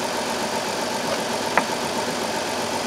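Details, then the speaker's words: 2002 Chrysler Town and Country 3.3L with code P0305: idle slightly uneven with one sharp snap midway during spark test with test light; cylinder 5 has no spark at all and is dead, engine runs rough. "there's first problem right there's no spark at all no spark on that cylinder it's dead nothing"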